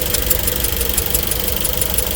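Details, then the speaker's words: Severely overheated engine run low on coolant, white smoke from tailpipe, temperature climbing fast: rough idle with steady light tapping about six times a second; engine judged cooked, too far gone. "You done cooked your motor. Oh, no. Poor customer. Yeah, this engine too far gone."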